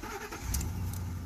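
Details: 2007 Ford F-350 Super Duty 5.4L V8 with no-crank/no-start fault, started in park after drive and reverse would not crank (suspected broken orange wire in harness near exhaust): catches promptly into steady low rumble, no grinding; normal start.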